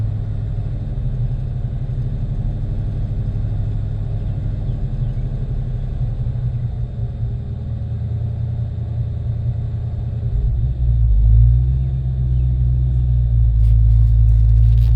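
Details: 1993 Ford Mustang GT 5.0 V8 with new plugs, injectors, wires, fuel filter and pump idles unevenly with a loping beat, rpm dipping and recovering; runs bad at idle and light throttle, owner suspects IAC, TPS or EGR.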